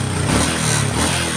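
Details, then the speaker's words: Honda Karisma single-cylinder after carburetor cleaning for hard morning/hot-restart starting, fouled black plug, high fuel use and stumbling (fuel entering via membrane): starts instantly on electric starter, steady even healthy idle, normal idle. "di starter juga langsung Jeng hidup suara langsamnya juga enak"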